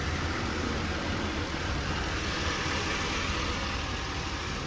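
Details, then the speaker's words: 2004 Buick Rendezvous, hood open, warm engine idling with a steady, even low hum, no knocks, ticks or rough patches; fairly quiet motor, normal idle. "Let's pop this hood. Seems to be a fairly quiet motor."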